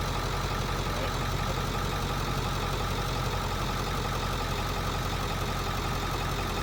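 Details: Low-mile heavy-duty diesel bus just restarted after a line was drained and blown out: even low rumble with steady clatter at idle, no misses or stumbles; normal clean idle.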